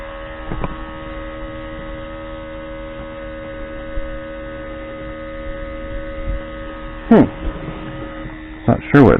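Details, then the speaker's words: 2005 Mercedes W463 G500 driver's multicontour seat air pump: steady electric hum that never cycles off because two seat air lines are unhooked, so it senses constant pressure loss; pump runs continuously until lines are reconnected. "okay because these two are unhooked it's just sensing a constant loss of pressure in the seats and to pop them back on"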